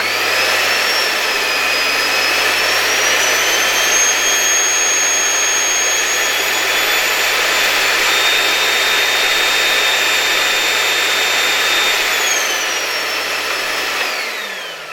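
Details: Replacement no-name 1400 W motor in an LG V-3340D vacuum cleaner, run with the lid open, shows no excessive sparking: a smooth, steady high whine at constant pitch that winds down evenly when switched off. New motor runs normally.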